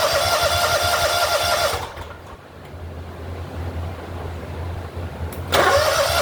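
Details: Big mower engine after carburetor replacement: runs smoothly, dips quieter for a few seconds, then picks back up cleanly without stumbling; normal running.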